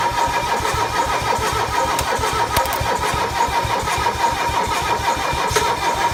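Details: Mercedes OM617 diesel with newly installed glow plugs: starter spins the engine at an even cranking pace with no firing or pickup at all; cranks but won't start.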